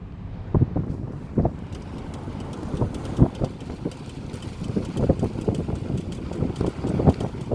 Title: Model 3 clicking noise while turning